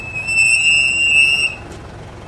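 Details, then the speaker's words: Mitsubishi Montero: loud, piercing high-pitched brake squeal that rings steadily, cuts out briefly and returns when braking while moving; pads still thick; squeal caused by hardened brake pads. "Narinig niyo 'di ba pag nagpreno? Grabe lakas nung ingay niya. Lakas nung ingay niya eh."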